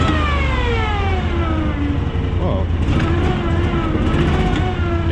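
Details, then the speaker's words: Cushman Truckster after carburetor cleaning, new plugs, air and fuel filters, choke off: engine drone sags and stumbles instead of picking up on light throttle, then stalls; owner unsure if running lean or rich. "see just stalled i stepped on the gas a little bit stalled yeah let's choke it again"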